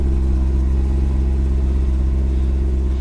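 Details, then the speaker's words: ProCharged auction car (likely the Corvette), automatic, 37,000 miles, no dash lights, charge pipe blown. A deep, even V8 rumble at startup with no knocks or ticks. Healthy idle. "let's put our foot on the brake whoo that thing sounds good"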